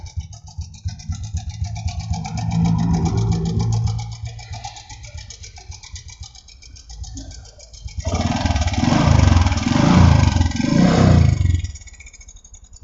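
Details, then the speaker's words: Honda Supra X125 with a rough engine noise, brought in pushed: a clattery idle that is worse at idle than when revved, heard from the cam chain side. The mechanic suspects cam chain rattle. "stasioner malah lebih parah suaranya kalau kita dengar langsung di motornya itu kelihatannya dibagian sebelah rantai keteng ya"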